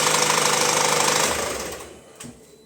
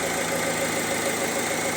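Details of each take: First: Opel Insignia, about 2020, 1.6 B16DTH, 136,000 km: fast metallic chain chatter on start that doesn't settle, caused by timing chain stretch, before repair. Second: Opel Insignia, about 2020, 1.6 B16DTH diesel, 136,000 km, after repair, cold start indoors: even steady idle with fine clatter and no rattle or knock; chains and tensioners working normally.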